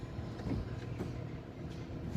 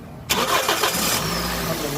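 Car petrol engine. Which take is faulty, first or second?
first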